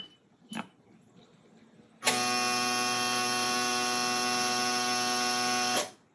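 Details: Boat engine no-start: steady harsh electrical buzz for about four seconds, then stops, with no cranking or firing.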